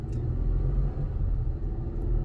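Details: Ford Taurus X wagon driving after the front arms were replaced: a steady, low road rumble with no clunks or thuds over bumps. The earlier front-end clunking is gone, and so is a mild vibration at 65 mph.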